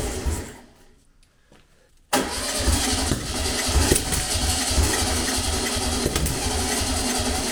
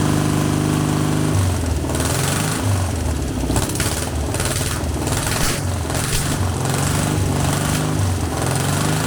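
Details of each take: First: Long-dormant 1200 VW Beetle air-cooled engine on a test stand, with easy start; after a pause catches and churns roughly and unevenly, never settling; plug leads wired anticlockwise like an MGB, but this distributor rotates clockwise; misfire from wrong firing order. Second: Long-dormant 1200 VW Beetle air-cooled engine on a test stand after freeing a stuck lifter, no parts replaced; ragged start settling into a steadier, even putter with smoother idle, sounding much better; normal running.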